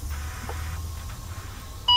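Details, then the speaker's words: Automated gearbox limp-home activation: ignition off, lever moved from neutral to the left, ignition on, then a short beep and a long beep confirm limp-home mode, over a low engine rumble. "отпускаем нажимаем еще раз длинный писк включился режим ли мхом мигают заводим двигатель"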